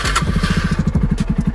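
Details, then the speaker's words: Yamaha Raptor 250 quad, started on key and button: crisp, even single-cylinder thumping, about thirteen beats a second, steady with no misses; healthy idle right after start-up; new aftermarket starter reportedly weak cranking with choke on. "Starts right up, no problem. Key on, start button,"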